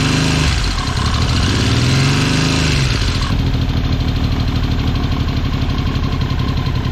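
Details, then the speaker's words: 1979 Yamaha XS750 after rebuild with new timing chain: loud, lumpy uneven idle with a harsh rap settling into a faster rough beat; ignition over-advanced because the advance mechanism was seized in a semi-advanced state. "Now what happens is there's a little mark on there with an F and a mark on the casing, and it's just not, it's advanced too much."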